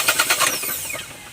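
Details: 2022 Geely Okavango 1.5L: quick bursts of cranking for about half a second, then the sound dies without a clean catch. Hard start, possibly from clogged fuel.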